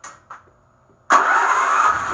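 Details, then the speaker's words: Predator 8750 generator (about 3.5 years, over 60 hours) after its carburetor was replaced with a tune-up kit: a couple of pulls, then it fires straight away and runs steady and even. It no longer hunts as it did before the repair. "so that's how it was supposed to sound before I did this it was searching a lot"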